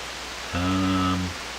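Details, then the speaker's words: Hammarlund SP-600 communications receiver after the modified oscillator B+ supply was reverted, set on CW and AVC: steady soft hiss with a brief buzzy tone, no stations received. The owner suspects the local oscillator is not running. "Sounds too smooth to me. Oh, come on, man. Come on. Why do you like this? It sounds like there's no local oscillator again."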